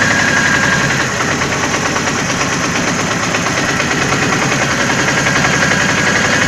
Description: Ваз 2109 1,8 8клапанов 107л.с. Интересный звук мотора после ремонта двигателя